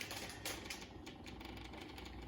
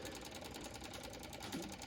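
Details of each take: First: John Deere 2038r after fuel filter service, key on, priming: rapid, even ticking from the electric fuel pump, normal once the filters are full of fuel; the tractor then started. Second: John Deere 2038R tractor after fuel filter change: electric fuel pump ticking fast and evenly, about ten a second, while priming and pushing air out of empty filters until the filters fill with fuel.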